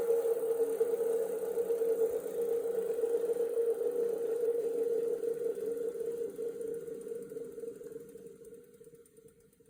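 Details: New Wahoo Kickr Move trainer: steady, slightly pulsing mid-pitched drone fading as the flywheel coasts down; unusual rumbling noise, cause unclear.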